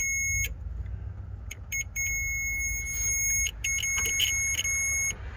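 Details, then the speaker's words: Ford F350 7.3 IDI diesel, multimeter continuity test on the green starter signal wire from fender-well solenoid to starter solenoid: shrill beeps as probes touch, wire intact; owner suspects a bad ground since starter works out of the truck. "Grab the other end, and if we touch here, we should get an alarm. And we do."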